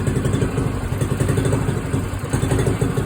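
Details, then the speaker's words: Little red moped after a cold start with the choke turned off, governor holding a small single-cylinder putter at an even, steady idle with no misses, knocks or rattles. "You can hear the governor maintaining the idle. I'll let her warm up and then we'll take her for a spin."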